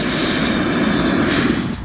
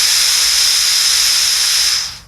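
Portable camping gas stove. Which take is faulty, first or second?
second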